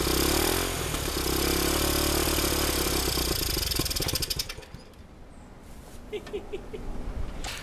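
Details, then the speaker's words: 1971 Honda CT90 single cylinder, sold as non-running with low compression, kick-started on fresh gas: quick even popping beat settling to a quieter steady idle; sounds healthy. "I'm tired of kicking that thing but man that sounds good so that sounded pretty good"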